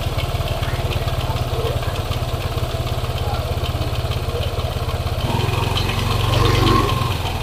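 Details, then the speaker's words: Yamaha NMAX scooter, quiet when cold, idling fully warm with a light, fast tick over the engine beat that grows louder when the throttle is blipped; points to a worn bearing. "Ini motor keadaan suhu sudah panas kita"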